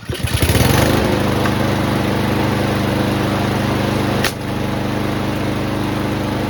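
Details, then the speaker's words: Troy-Bilt TB240 push mower with Honda engine after carburetor replacement, previously over-revving: steady, even single-cylinder drone holding one speed without surging; the governor now controls it properly, normal running. "There we go. That's better. Let's try that again."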